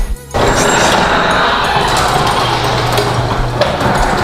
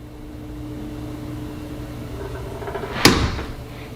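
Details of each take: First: Garage door opening after WD-40 applied to hinges, rollers not yet greased: steady motor drone, door rolling up evenly with no squeal or creak. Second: House door swinging after WD-40 on one side of the hinges only: faint, drawn-out creak left from the spring hinges, then a sharp thud as it shuts.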